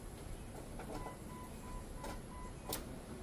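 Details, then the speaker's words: Jeep 4.0L engine just rebuilt, key turned to run to prime before first start, repeated about three times: faint steady electric whir for a couple of seconds in a quiet room, fuel pump priming normally. "you're just going to Prime the key turn the key to run and we're going to listen for the fuel pump and you're going to do that like three times just so we can get fuel all up here in this"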